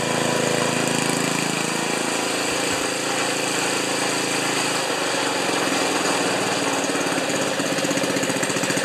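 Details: Ariens 2+2 snowblower small single-cylinder engine, after ignition coil replaced with gap set because owner reported stalling after running a while: catches and holds steady buzzy fast idle, no misses; normal running.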